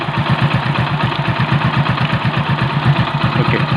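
Loud, steady idle with even low thumps about two per second and no knocks or rattles; the engine sounds healthy.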